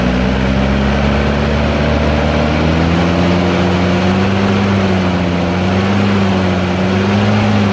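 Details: Toyota Hilux diesel (2L/3L/5L type): even, steady diesel clatter at idle with a smooth low hum, no misses or knocks; injectors sound healthy.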